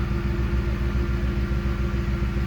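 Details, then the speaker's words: 2010 Ford Expedition with P1726 rear air suspension fault, after fitting a replacement Arnott compressor: low, pulsing hum runs steadily over engine idle with no rattle or strain; it pumps at once, raising the vehicle, unlike the old unit. "Hear that little compressor running right away. The other one wasn't doing that, and you can already see it raising up."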